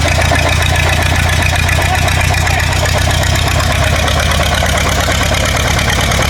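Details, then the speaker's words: War Department roustabout crane on an International tractor, unrun for 35 years, running on its own diesel despite an injector line leak. Steady, regular clatter at an even idle with no misfires or stumbles; running clean. "Well, now we know that it runs like an absolute clock."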